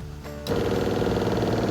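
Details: Newly replaced RV water pump in a 1997 American Dream. Quiet, then the pump suddenly buzzes on with a steady rattly hum though no tap was opened. It is cycling on its own, the same problem the old pump had; the cause is still unknown.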